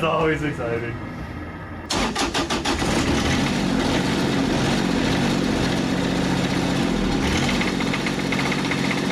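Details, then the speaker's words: Kubota 3-cylinder diesel from a Carrier AC unit, pulled from a scrap yard, first start after fuel shutoff solenoid bypassed: cranks, catches, rough idle with light rhythmic knock over diesel clatter; engine knock, cause unknown. "well it doesn't sound so good it sounds like a little knocky knocky I guess in doubt rev it up let it run for a couple minutes"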